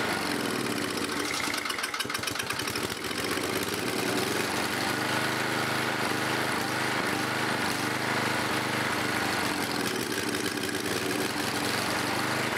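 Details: 11HP Briggs & Stratton engine, carburetor cleaned and mixture screws reset, run on a bolted-on starter; a busy, uneven running note with a rapid rattling knock. The engine knocks and smokes.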